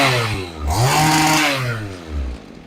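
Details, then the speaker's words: Stihl hedge trimmer brought in for running rough, after needle height and carburettor readjustment, unloaded: blips cleanly to a high buzz, holds, returns to idle without stumbling; normal running. "I've reset the needle height now. Just readjusted the car and essentially this is the finished product."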